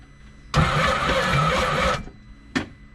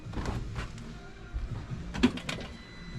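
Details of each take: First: 2014 Scarab 195 supercharged jetboat, 300 hours, locked up after shutting off on water: with supercharger removed, starter drags engine over heavily about 1.5 seconds without catching; still slow, cause unknown, jet pump next, owner suspects possible spun bearing. Slow cranking. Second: 2014 Scarab 195 supercharged jetboat, 300 hours, after repair, cat deleted, restrictive intercooler removed for new part: scattered clicks, catches around four seconds and builds to a strong, even roar without stumbling; no check engine light, running nicely. Normal running.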